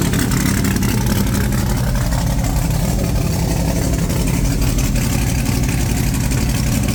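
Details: Supercharged big-block Chevy V8 just refitted in the ute, oil pump primed, timing set, no coolant yet: loud, deep, lumpy rumble staying steady and even, no knocks or rattles; strong, healthy idle.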